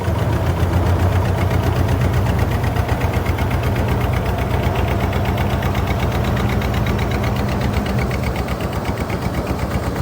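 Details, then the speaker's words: Used jon boat engine, first start after purchase on electric start, pushing a lot of water: deep, lumpy rumble pulsing about four times a second that never climbs in revs; engine bogging, not answering throttle. "D up it's like it's uh so balded down it's not even this is doing nothing and it's just turn the huh that ain't good"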